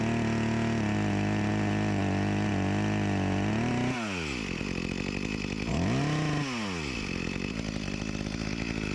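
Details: Echo CS-352 chainsaw after a new carburetor and gasket fixed its start-and-die fault: idles evenly, then revs up and drops under load biting into a log, pulling cleanly with only a slight bog the owner blames on a chain needing sharpening.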